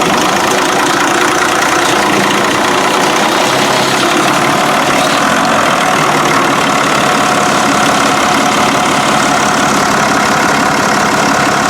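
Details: Barko 612 diesel after refueling and clearing rubber from the fuel filter housing: loud, steady idle with an even clatter and no stumbling or surging; running properly on fuel again.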